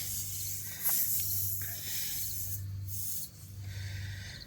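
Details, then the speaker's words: Car tire punctured by nail, after first plug attempt: steady hiss of escaping air over low background hum; plug hasn't sealed, tire still leaking, plug to be redone with T-handle tool. "I can hear it starting to leak. I moved it a little bit and I plug I think I plugged it up"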